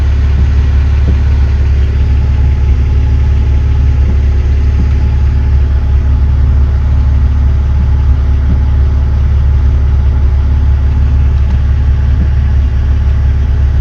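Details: BMW E46 330ci that kept cutting out, after the sticking idle control valve was freed up and everything reassembled: a smooth, even idle holding steady throughout with no dips, stumbles or hunting; idling normally.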